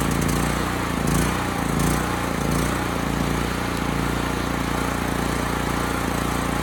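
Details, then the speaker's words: Homelite HG5000 generator after new stator and rotor fitted: low slow drone with slight hunting, under governed speed; engine speed low, hertz and voltage low, power output restored; running low on gas. "The engine speed is low, and the voltage is too."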